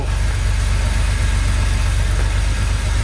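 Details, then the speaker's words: 1982 Porsche 911SC Slantnose, after 20+ years sitting, following fuel distributor cleaning, new plugs and fuel filter: even, steady low flat-six idle with no misses or knocks, while smoking and burning some oil; normal idle. "Yo, this thing sounds so good. Oh my goodness. This thing sounds so good."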